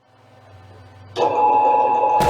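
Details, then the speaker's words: Mini lathe with a new 16-inch bed extension, run for the first time after reassembly. The motor spins up with a clean, steady whine and settles to an even hum, with no grinding or rattle. It is running normally. "success all right it's working it runs"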